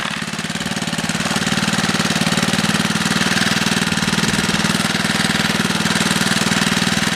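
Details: Small 3HP single-cylinder engine on a Wheel Horse, run after gasket installation to stop oil leaks: steady, even chuff around four beats per second, no knocks or misses; running fine.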